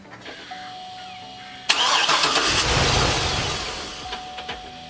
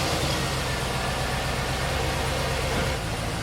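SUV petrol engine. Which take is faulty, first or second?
first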